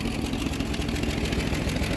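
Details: Cold 1966 Ford Mustang straight-six with 3-speed Cruise-O-Matic automatic, idling and not running super well: sharp puffing tick on each firing pulse; exhaust leak near the manifold.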